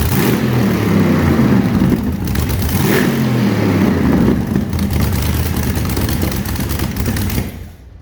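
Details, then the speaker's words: 6L LS V8 (LS2 or L77) with Turbo 400 in Mini Mog truck, first start, open headers: loud raw roar climbing through a couple of revs then dropping away, pulling cleanly without misfire or knock; shakes the shed. Normal running. "And it shakes the whole shed, so it's certainly loud enough."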